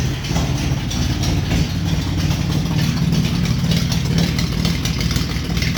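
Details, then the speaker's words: 1950 Plymouth 230 straight-six with split manifold and straight-pipe exhaust, around its third start and awaiting a radiator. Idle was turned down, but the twin carbs are still unbalanced and the linkage is unadjusted, giving a fast, lumpy idle with a hard, uneven exhaust pulse. "so other than turning the idle down a little bit because she was a screeching I haven't dialed those carbs in yet and they're way out so I gotta balance them and get the linkage dialed in and all that fun stuff"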